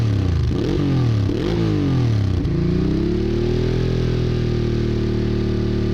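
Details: Honda Bros/Hawk GT 650 (late-80s V-twin), warmed up over 10+ minutes, camera held near the exhaust: clean blips rising and falling smoothly a few times, then even idle; healthy exhaust note. No coolant leak found.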